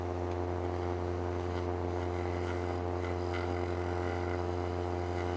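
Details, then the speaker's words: Woodturning a raised winged bowl on a lathe: steady hum with a quiet, even cut; the larger cutter puts more surface into the wood, giving less chatter than earlier, when pressing too hard on the rub caused chatter. "So by doing this and having a bigger wing, this came in here where if you could hear it, I have less chatter serving the simple fact that I have more surface of the cutter going into this."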